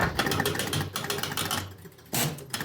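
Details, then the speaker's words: Jumping Jack pinball machine: repeating groups of quick relay and motor clicks in a 1-2-3-4-5 rhythm while the outhole kicker tries but never ejects the ball; same circuit that pops the targets up should kick the ball out. "oh 1 2 3 5 1 2 3 4 5 it's that Rhythm so this is just not kicked the ball out it's trying but it's not K it's not so the same circuit that's popping these up is also the same circuit that's po supposed to kick that ball out but the ball's not kicking out out"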